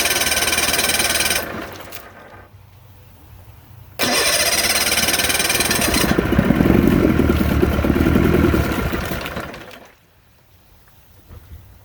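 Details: 1972 Sea King (Chrysler) 35 HP outboard, first start in nearly 20 years after flywheel key replacement, shift tied in neutral: choppy cranking bursts, then catches and runs rough about four seconds before dying.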